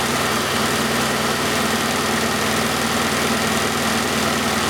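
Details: 1991 Oldsmobile Cutlass Calais 2.3L Quad 4 DOHC idling during injector-circuit scope testing: steady idle with a slightly uneven, loping beat under the hum, one cylinder not firing because of a shorted injector.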